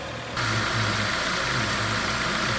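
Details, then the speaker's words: 2011 Jeep Compass AWD 2.4 L, started right after an alternator replacement and belt refit: a steady, even idle with a low, smooth hum and no knocks or whine; the alternator puts out 14.6 volts and it runs fine. "We'll start it up and check, make sure everything's running okay. Well, it seems to be okay."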